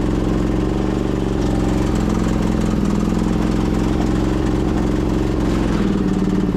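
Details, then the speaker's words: 2008 Husqvarna YTH2242 lawn tractor, Briggs V-twin, with belt tension loosened: lumpy, uneven low beat with a missing pulse, unsure how it wants to run and really down on power, running on one cylinder. "It's not sure how it wants to run. It's really down on power."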